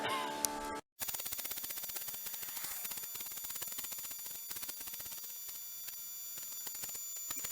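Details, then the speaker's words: Small water transfer pump emptying a barrel: dry, crackly rattle with uneven rapid ticking and no steady hum; the barrel ran dry and the pump was sucking air. "I knew the pump sounded funny. My water ran dry in the barrel."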